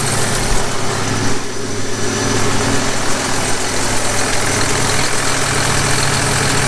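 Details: John Deere 6170M tractor diesel just after an engine rebuild, cold and not yet warmed up: deep, steady idle with an even low rumble and no knocks or misses, with hardly any blow-by; normal idle.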